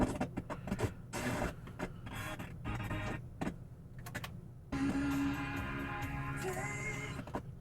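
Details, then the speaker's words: Kenwood KR-8050 receiver on FM: audio cuts abruptly in and out with sharp silent gaps while tuning; tuning gang rotor probably dirty or corroded, green deposits visible on it. "okay so we got some issues all right so when you hear that abrupt sound um like where it cuts in and out as you're turning that that means that the rotor on the tuning gang is probably dirty or corroded"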